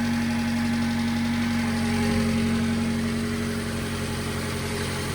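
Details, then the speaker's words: Subaru Sambar first startup after water pump, timing belt, seal and clutch replacement: steady even idle hum with faint whir, water pump audibly pumping, a loose heat shield rattling; normal idle. "so the water pump is pumping cuz I can hear it girdling the uh timing belt is keeping"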